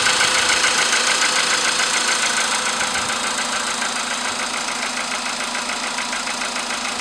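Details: VW Polo sedan with CFN engine, started in the morning after a night at about 10°C outside: cold idle with a steady metallic tapping, three to four a second, following engine speed; engine knock, cause unclear.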